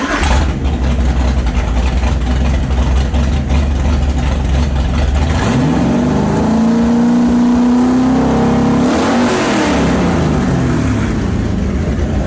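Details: Newly built 427 Windsor Ford V8, 540 hp, roller cam, carburetted, for a 1965 Cobra, mixture screws adjusted and timing set, restarted: deep even lope at idle, clean pitch sweep on throttle and back; smooth and healthy.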